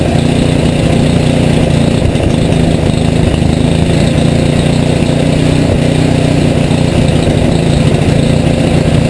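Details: Rebuilt Tecumseh HM80 on a Craftsman 826 tracked snow thrower, first start with fresh gas and oil, electric start, choke and primer; fast even steady drone at high fast throttle, no misses or knocks, running healthily.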